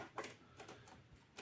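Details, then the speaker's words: Same cassette deck: soft, uneven clicks every few tenths of a second in a quiet room. The mechanism now clicks constantly and won't eject the cassette. "не випускає касету тепер. Воно тепер клацає постійно."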